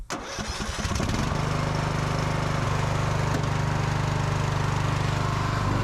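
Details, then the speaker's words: Free riding mower, once an electrical no-start, now running with safety features bypassed and a rigged kill switch; it catches, then settles into an even, steady single-cylinder thump, with no misses or surging; healthy engine. "man this thing mow's pretty good really i'm happy with that"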